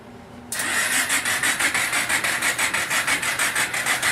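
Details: 1995 Kawasaki Bayou 400 first start in a long time, after new oil (3.7 L), oil filter, DPR8EA-9 plug gapped 0.036 in and fresh gas: steady rhythmic churning about three pulses a second, even, firing normally; normal start after long storage.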